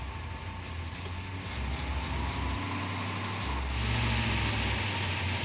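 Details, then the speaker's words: 1940 Chevrolet Coupe gasser idling after the cable torque strap at the motor mount was moved off the frame; steady low idle, even pulse, rattle gone, only light valve train chatter: normal idle. "Right now, it looks like that torque cable was hitting the frame cuz I moved it. Now we can't hear the problem. All I hear is valve train now."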